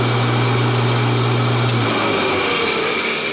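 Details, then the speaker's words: Homemade rotary phase converter from a kit making three-phase power from a single-phase shop panel for dust collection equipment, first start: steady hum with strong low mains tone, settling as it spins up; idler motor starts without hesitation, runs smoothly. "Okay, there wasn't even a hesitation there."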